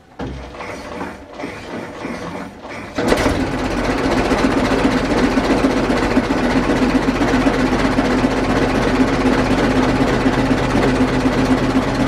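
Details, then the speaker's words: 1920s Dodge tourer after fitting a replacement engine fan and adjusting the belt: catches after a few seconds and settles into an even beat about four a second, no scraping or slapping; fan clears radiator and belt. "so well that all appears to be working so the fan's not hitting the radiator it's not hitting the uh the fan belt"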